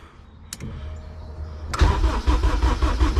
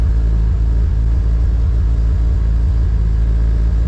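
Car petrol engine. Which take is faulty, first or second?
second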